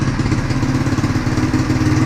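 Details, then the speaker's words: XR140 pit bike with swapped-in 125cc manual-clutch 4-speed engine, warming up: deep, even single-cylinder thump at steady idle, quiet scooter-like exhaust, no rattles or misfires; healthy. "I might put a different setup on here with a little bit louder muffler, just because it kind of sounds like a scooter."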